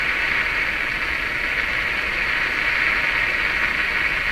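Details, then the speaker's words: Nordmende Traviata 59 tube radio tuned near 13 MHz European shortwave band, after replacing two IF-stage capacitors: constant hissy rushing static with a buzzy edge, no station; interference from the nearby DC furnace fan motor. "Now that sound you're hearing, that is the sound of the fan in my furnace. My air conditioner is running right now. It's a DC fan that makes this interference."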